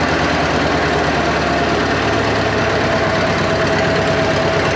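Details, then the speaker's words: 1939 Caterpillar D4 with D4400 diesel engine after final assembly: heavy idle with uneven, lumpy knocking beat; rough running, source unknown, too low fuel pressure suspected; good oil pressure at idle. "Idle. Still sounds like it's got a mess. Might have to work some bugs out, but I can't tell where or what's coming from."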